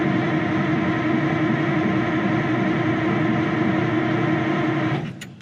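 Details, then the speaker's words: 1960s Insley H2250 100,000 lb excavator diesel, no ether or starting spray on hand: steady droning crank about four turns a second for five seconds, no firing or catching; cranks but won't start, cause unconfirmed. "Boy, I hope I don't regret not bringing ether. Not even a lick, huh? Oh, come on."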